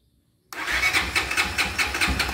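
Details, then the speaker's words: Honda XRE300 that stalls and starts hard, cracked cylinder head suspected and being tested with water-and-detergent: starter cranks in uneven pulses about twice a second and the engine never catches cleanly. "bora botar ela para pegar ela já da dificuldade para pegar aqui olha olha só e olha só a dificuldade"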